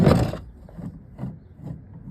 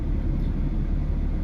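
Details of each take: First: Removed original water pump from 2005 Ford Mustang 4.0 V6 with about 200,000 miles, turned by hand; faint gritty rasp repeating a couple of times a second; pump done. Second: 2005 Ford Mustang 4.0 V6 after water pump replacement, warming up slowly with radiator cap off to purge air bubbles, no leaks seen; steady, even low rumble with no knocks, ticks or squeals, smooth normal idle.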